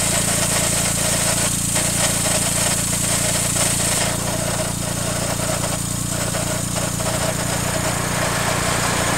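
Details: 2000 Daihatsu Mira Gino Turbo, EF-DET engine (engine swapped once), cold: steady drone with low hum and rough uneven rattle that occurs only until the engine warms up; cause unknown; cold-engine abnormal noise.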